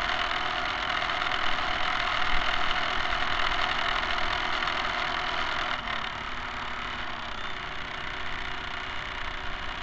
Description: Excess noise produced by the dog-bone type motor-shaft couplers was encountered.